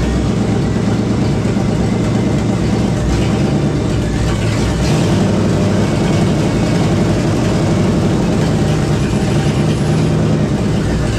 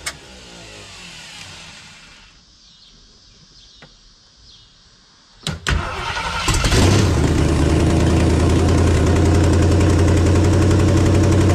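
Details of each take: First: 1976 AMC Gremlin with a salvage-yard AMC 360 (5.9L) V8, first start on one muffler with gasoline poured in. A lumpy, uneven low rumble stumbles for several seconds, then dies. Rough running and stalling; the owner suspects ignition timing, unsure. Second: 1976 AMC Gremlin, AMC 360 (5.9L) V8, after setting the timing from about 25–30° to about 12° BTDC. It cranks, catches and settles into a firm, steady idle at about four beats a second. Normal, healthy idle.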